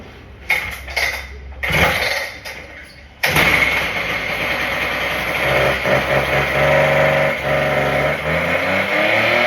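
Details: Husqvarna K770 two-stroke cut-off saw after five-day carburetor soak in brake cleaner, primer fixed, new spark plug, choke on: a few pulls, catches, revs and settles to a steady idle; running properly, some smoke.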